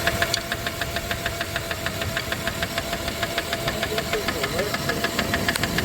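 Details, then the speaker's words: 1997 Dodge Caravan LE at idle after a rod and main bearing replacement; a light, sharp tick about 200 a minute that quiets as the lifter pumps up. A stuck hydraulic lifter, not a bottom-end knock, though a PCV valve was briefly blamed. "it goes away cuz it pumps up PCV valve just started working that's PCV valve no get Qui stuck lifter stuck lifter it just quieted dow"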